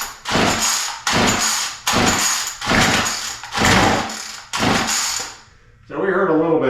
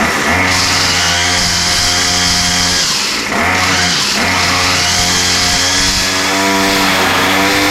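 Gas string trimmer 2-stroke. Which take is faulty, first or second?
first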